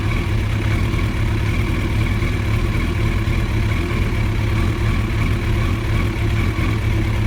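Engine idling with a low, uneven lumpy beat and the note wavering instead of holding smooth; a rough idle, cause still unknown.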